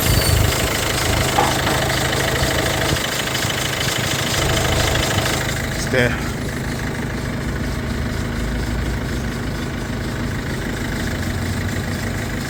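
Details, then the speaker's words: Peugeot 3008 at steady idle after a battery replacement and battery fuse fix, faults cleared and management light off: constant hiss and squeal over the engine that doesn't settle, from a worn, noisy auxiliary belt. "It's just got auxiliary bell that's making a hell of a lot of noise right now, but that's for them to sort out."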